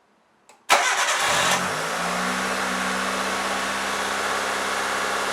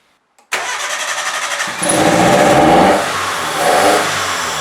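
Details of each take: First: 1998 Mitsubishi Colt, over 120,000 miles, restarted after throttle body cleaning that fixed a sticky throttle and wobbly idle: cranks, catches within a second and settles into a steady, smooth idle without hunting. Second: 1998 Mitsubishi Colt, over 120,000 miles, started just after throttle body cleaning: cranks briefly, catches and revs unevenly with a wavering pitch as cleaner and loosened carbon in the intake make it run rough for a while before smoothing out.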